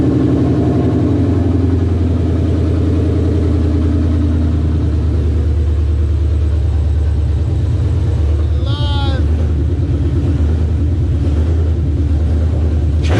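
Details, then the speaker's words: 2002 Mustang GT with Coyote V8 swap, first start: deep, even burble with steady firing, no knocks or ticks; healthy running, cluster and gauges working. "but as you can see it's alive it fires the clusters work and all the gauges are work"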